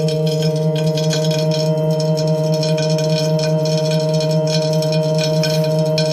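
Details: Tacx Neo smart trainer running with the cassette removed. Steady ringing tones over the spinning flywheel with a rough scraping rattle pulsing about twice a second: a grinding noise from the disk.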